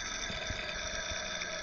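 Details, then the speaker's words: Toyota Camry engine bay heard through a mechanic's stethoscope touched on a pulley: a steady, gritty whirring with a harsh hiss on top, a rough, bad pulley bearing. "See how rough that sound? We're going to touch onto another one."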